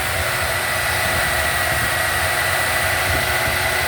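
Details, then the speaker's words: 1977 Buick LeSabre idling higher than it should, a steady fairly fast even hum with no settling. It has an HEI distributor, old fuel, no smoke and a good carb pump. The owner suspects the carburetor and will tune the idle down. "I gotta tune down that idle a little bit. But, yeah, she's really not a bad car."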